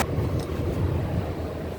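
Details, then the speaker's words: 2016 Toyota Axio Hybrid that burned oil and knocked, idling after cylinder/combustion chamber cleaning service and octane booster: low steady rumble, no knocks or misses, engine running smooth on fuel. "ইঞ্জিনটা একদম স্মুথ হয়ে গেছে, একটু পরে আরও হবে। গাড়িটা কিন্তু স্টার্টেই আছে, ইভেন তেলে চলতেছে।"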